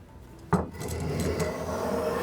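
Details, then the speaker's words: Pinnacle No 151 spokeshave shaping a kitchen stool handle, cutting straight on: rough juddering rattle instead of a clean slicing hiss; blade chattering, possibly from fiber direction, cleaner when skewed. "When I was going straight on, you hear that rattle? It didn't want to take the cut that way. It might have been how it was hitting the fibers,"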